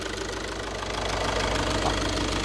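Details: 2012 VW Jetta 1.6 diesel after repair, restarted: even idle clatter, steady in rhythm and level, no odd knocks or grinding; no flywheel problem, engine sounds healthy.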